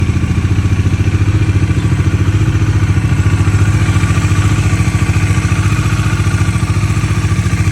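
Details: 2022 Bajaj Dominar 400: loud, regular thumping clatter about three to four times a second over the low engine beat; engine clatter, source unknown.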